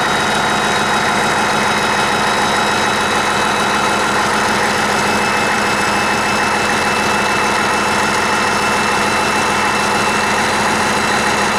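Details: 1959 Caterpillar D337F diesel genset, stored in a barn 10 to 12 years, just started and resting at idle (needs the shutdown lever to stop). Smooth, steady, even hum with no misses or knocks: normal idle.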